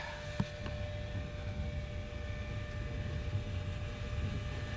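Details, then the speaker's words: 1969 trawler repowered with Cummins 6.7 engines: a steady low hum with a faint constant whine under the engine-room rumble, no surging or rattling, as the fuel transfer pump fills the day tank through two large dual filters. It is running normally. "I hear it. We got fuel. So that should be coming into my day tank now. Oh, I hear it."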